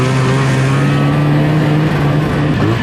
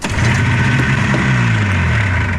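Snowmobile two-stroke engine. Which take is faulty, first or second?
first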